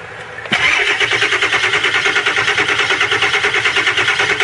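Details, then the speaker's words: 2001 Ford E350 PowerStroke van with block cracked by freezing after running straight water and overheating: fires after a brief crank, then idles with lumpy, uneven shaking pulse about three beats a second; rough running. "It's shaking big time, ain't it? It may not start again though."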